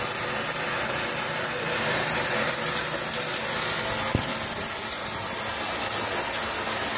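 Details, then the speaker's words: Shower panel at the flow the owner usually uses, below full blast: loud, steady hiss and rush of water with no pulsing or knocking. Still super loud; owner says water pressure is so high it stops him opening it fully, and the rainfall head also drips. "that's on full-blast and actually is not as loud when it's on less than full blast [Music] so that's about the speeds that I usually have it on it's just super loud"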